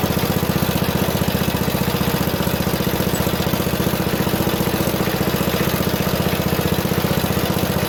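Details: Junkyard Ditch Witch C99 trencher, old, year unknown, small single-cylinder engine: steady, even thumping with no misses or knocks; running halfway decently, though the self-propelled drive doesn't work.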